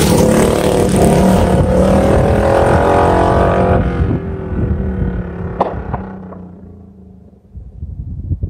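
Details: Bike with an aftermarket pipe roaring past the camera in a canyon, then fading off throttle. A few sharp .22-gunshot-like cracks as it backs off. Exhaust popping on deceleration, which the rider blames on the baffle.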